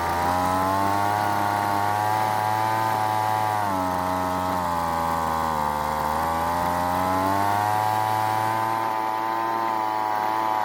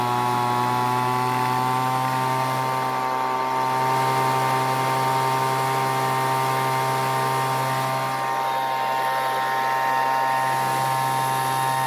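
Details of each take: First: Weed Eater leaf blower after long storage, carburetor L and H screws turned counterclockwise for more fuel: holds steady buzzing run but revs barely respond to throttle; lean high-speed mixture, needs more fuel from H screw. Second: Weed Eater leaf blower that wouldn't start after long storage, after richening L screw half turn and H screw quarter turn, then setting H screw just past max speed for extra fuel; high steady two-stroke scream at full throttle, constant pitch, no surging — normal high-speed running.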